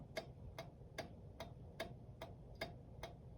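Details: Reassembled 1911 New Haven Cunard Line kitchen pendulum clock on test after restoration: crisp, evenly spaced ticks about two and a half per second, steady beat with no stumbles; well-adjusted escapement, later ran well for over 24 hours.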